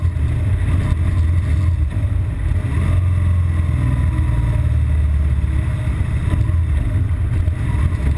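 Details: BMW R1200GS Adventure, intermittent fault after about 20-mile A-road run, hitting traffic: deep, lumpy boxer-twin idle surging and sagging unevenly, stalling; rough idle, cause undetermined.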